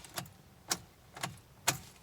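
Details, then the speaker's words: Mazda RX8 with fresh battery and good fuses, in neutral with clutch pressed: turning the key gives only sharp starter clicks, about two a second, with no cranking at all; lights work; no-crank, no-start. "try to start it nothing nothing at all"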